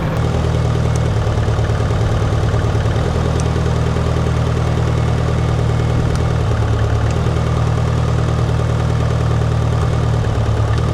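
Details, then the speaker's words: Mitsubishi Evo 4G63 with a new coil-on-plug kit, idling as each coil is unplugged in turn: uneven idle with dips and shaking as a cylinder drops out. This induced misfire confirms every coil fires. "okay the fact that each one of those were unplugged and the car started to like vibrate weird was mfing obviously me each one of those are fire so all the calls are good"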